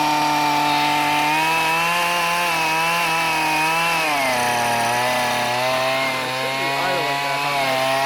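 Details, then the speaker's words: Curbside Husqvarna 128CD trimmer powerhead: small two-stroke buzzes at steady fast idle, then bogs and drops pitch slightly; running rich. "Yeah, that's running rich. We'll leave it at that."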